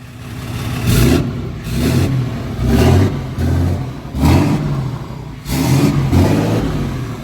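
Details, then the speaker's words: 2017 (possibly 2020) 6.7 Cummins diesel hotshot truck after an injector replacement for a dead cylinder: six quick, clean free-rev throttle blips with no miss, and the VGT is heard kicking in. The truck still needs a retune. "Sounds good. And then the VGT kicks in. There we go. Hear him take off. Sounds beautiful."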